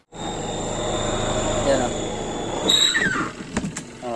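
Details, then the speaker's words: Homey twin tub washing machine whose wash side won't run: spin motor starts promptly and runs with a strong steady whine and hum, then winds down; spin side works normally. "subukan po natin paandarin onong spin yan mga kaand so umaandar po yung spin niya"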